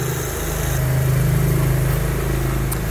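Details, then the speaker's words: Toyota Kijang Innova at idle with the AC on, with a heavy, low pulsing compressor growl. The removed compressor had no oil left, and after the compressor was serviced it ran smoothly. "kali ini kedatangan Kijang Innova yakni mobil datang AC on kondisi kompresor ngorok ya Coba perhatikan ini posisi AC on dan kompresor ngorok"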